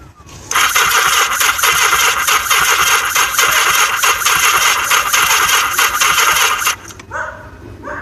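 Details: Yamaha XS1100 motorcycle no-start: fast even starter whirr with rhythmic compression pulses for about six seconds, never fires; weak battery and incorrectly installed octy suspected, not confirmed.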